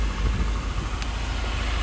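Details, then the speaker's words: 2009 Nissan Altima, misfire code stored, shaking and unable to exceed 40 mph: uneven, lumpy, rattly idle that keeps stumbling; cause unconfirmed, plugs and coils to be replaced; misfire rough idle. "so let's start her up she sounds horrible my poor baby so she is rattling up a storm"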